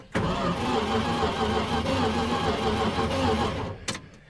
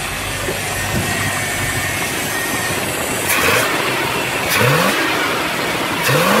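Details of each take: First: 1979 Dodge W300 Club Cab, sitting for 13 years, after the starter was struck with pliers: starter whines and turns the V8 over steadily for several seconds but it never catches; spark check next. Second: 1979 Dodge W300 Club Cab V8 after sitting 13 years, 180-degree thermostat, still warming up; blips up and settles to a rough, uneven idle with a faint stumble, a slight misfire suspected from spark plug wires; smoking heavily.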